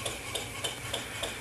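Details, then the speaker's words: PM Research 6CI horizontal steam engine, 1.5-inch bore, about 250 rpm top speed, running on compressed air with no load: crisp, evenly spaced exhaust puffs about three per second over a light hiss, no knocks or misses; running smoothly. "so there it is running without a load on it"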